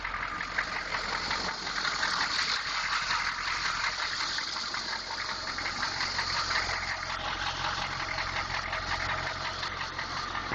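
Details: 6.2 engine idling with a light, fairly regular tapping knock, a bit under three per second, over a hissy background; knock present, source undetermined.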